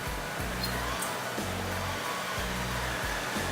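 Even airy rush over a low motor hum with slight once-a-second dips; the roof fan runs smoothly and sounds healthy.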